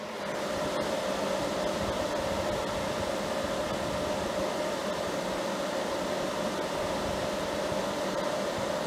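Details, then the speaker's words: Anenji 48V hybrid solar inverter (6.2 kW max output), mic placed next to it while under household load including a kettle: steady, even fan rush with a faint constant mid-pitch hum and no rattles or surging. Cooling fan is normal, similar in loudness to an EASUN inverter. "So I'd say it's equivalent to the noise that I've got on for the EASUN. But that's just to give you a little idea of what it sounds like."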